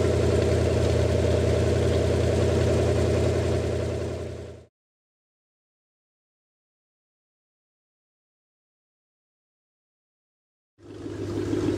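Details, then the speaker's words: Rebuilt show-quality Lincoln 368 Y-Block V8 on an engine run stand, not yet at operating temperature, 70 psi oil pressure, just above 1000 rpm: steady, even idle with a smooth beat and no tapping or knocking; normal idle, ready to install. "well i hope everybody got a pretty good perspective of how well this motor runs"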